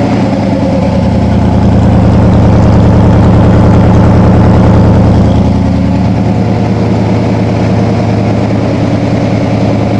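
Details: 1987 Toyota Supra MKIII with a 350 Chevy Vortec V8 and 700R4, after the rebuild, distributor cap and valve lash corrections, exhaust loose on the manifolds: loud, even, lumpy idle at about 200 pulses a minute with a deep steady rumble, no knocks or misses; healthy.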